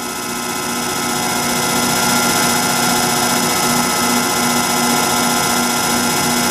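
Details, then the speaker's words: Antique Allis-Chalmers 10 HP electric motor on 240 V three-phase via phase converter, after machined shaft and new bushings, shaft magnetically centered: steady hum with smooth whine, no knocking or rubbing; bearings good, normal running. "Obviously, there's still work yet to do, but I'm happy I've got all the parts back here, and bearings are good, and it's running, so I'm that much further ahead."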